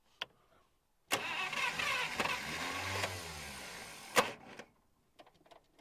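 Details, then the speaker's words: 1951 Buick Super straight-eight after about 25 years sitting, fuel poured into the carburetor: about three seconds of uneven cranking with a few weak firings that never catch, ending in a sharp clunk as the starter jumps out; fuel starvation suspected. "starter keeps jumping out"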